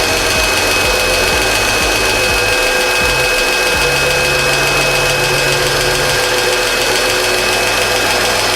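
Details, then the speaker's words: Mercedes M112 petrol V6, cold idle just after replacing hydraulic lifters: sharp, regular tapping knock over the engine hum; one lifter ticks clearly, seems to quiet slightly, but the same knock remained afterward; owner plans engine teardown. "Гидрокомпенсатор один стучит отчетливо. Вроде становится потише."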